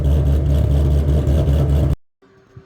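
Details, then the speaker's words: V8 with Ghost Cam tune after dyno work, idle reading 418 rpm: low heavy rumble with rhythmic lumpy chop; lopey idle from ghost cam tune. "I got another I'm gonna go with 420 and it is now 418 so but yeah it's definitely a little choppy chop"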